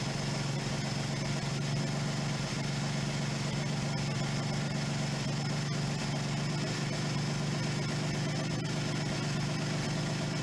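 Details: 1977 Suzuki GS550 four-cylinder, first start after two years stored: steady, slightly rough idle with an even low hum and no knocks; normal cold idle while warming up, needs three to four minutes.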